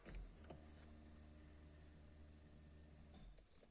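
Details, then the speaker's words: Peugeot electric fuel pump priming: a low, steady hum runs about three to four seconds to pressurize the circuit, then cuts off cleanly; the pump is working normally. "c'est grâce à ce bruit que vous venez d'entendre que vous allez déduire évaluer le bon fonctionnement de votre pompe"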